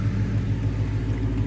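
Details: 2017 Ford Mustang GT V8 first start after oil change with 8 quarts: deep, steady rumble with even low pulse, no knocks or ticks; healthy smooth idle, no leaks seen.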